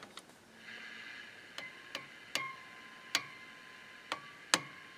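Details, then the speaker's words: Motorola 68L11 tube radio, tapped while powered: each tap gives a sharp tick then a clear ringing tone around 1 kHz slowly fading; microphonic tube, three tubes tried in this radio all behave the same. "if i were wanting to use this as a musical instrument that would be great this is a microphonic tube i have tried three three tubes in this radio and they all do the same thing"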